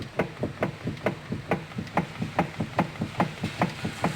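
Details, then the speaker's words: Fiat Uno steering, engine off, wheel rocked by hand: dull clunk repeating about twice a second from play inside the steering box (rack); also felt as shudder over speed bumps; worn steering rack play knock. "esse barulho é uma folga dentro do setor tem um problema desse carro"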